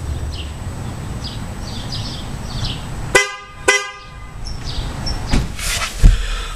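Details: 2009 Toyota Camry after replacing both horns with FIAMM horns: two short, loud, clear honks with a full steady tone over street noise; new horns sound strong and healthy.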